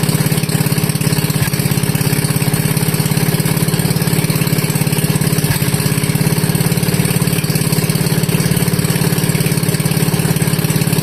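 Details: Wisconsin Model AB single-cylinder engine running on fuel from the tank, fuel petcock barely cracked, choke open, before the muffler is fitted: loud, sharp unmuffled exhaust bark at a steady, even beat with no misses; healthy.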